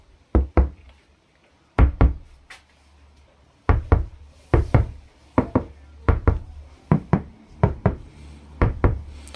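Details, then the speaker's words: Dacia Spring roof panel after vibro damping, refitted headliner: tapping gives dull, short thuds with no ringing or tinny rattle; sheet metal still moves slightly near the recess but no longer vibrates or sounds hollow. Well-damped roof. "Adică se simte un pic că încă se mișcă puțin tabla, dar oricum nu mai vibrează, nu mai face acel zgomot de tablă goală."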